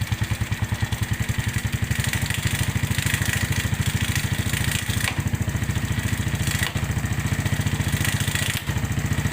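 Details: Suzuki Smash New motorcycle at idle with a harsh, rapid knocking clatter at engine rhythm from the clutch, caused by a clutch stud that had loosened and come out striking the clutch housing; refitting it restored normal sound.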